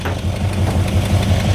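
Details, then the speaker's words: 1970 Dodge Coronet 500 big block 383 started after over 20 years, not yet hot, backfiring through carburetor, timing unchecked: rough V8 idle with quick light ticking through the exhaust rumble; tapping lifter, owner hopes it frees up when hot. "lift or tapping [Music] it's just exhausting maybe it'll free itself up man it needs to get hot"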